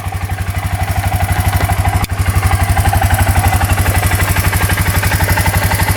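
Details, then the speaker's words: 2003 Suzuki Eiger 4x4 quad that won't move, just started: even single-cylinder putter about four beats a second, no knocking or misfire, quiet and not leaking; normal idle. "oh yeah she fired right up so you can hear it sounds pretty decent no rather than going on no knocking [Applause] pretty quiet machine"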